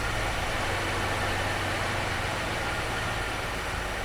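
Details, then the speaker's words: Jeep CJ5 not started in about 34 years, with fresh gasoline added. Uneven, stumbling idle with a ragged low beat that never settles into a steady rhythm. Rough running; owner suspects old gasoline left in the lines. "probably got bad gas in the lines just trying to well that's it's that old gasoline in there you know we didn't clean that crap out"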